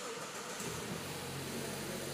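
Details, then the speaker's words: 2021 Mazda CX-9, 2.5 L turbocharged engine, just after start: smooth, even idle with a steady low hum, no knocks or ticks, at an idle-up speed of about 1500 rpm. Very quiet, normal idle. "Oke Idol up ini benar-benar halus mesinnya 2.500 isinya dan nggak berisik sama sekali dasternya ini enteng Hai sangat cafard"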